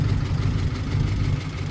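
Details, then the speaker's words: Old truck, oil a little black, many flat tires, started after long storage: low, steady, even rumbling idle with no knocks or misses, sounds good; normal idle. "She sounds good."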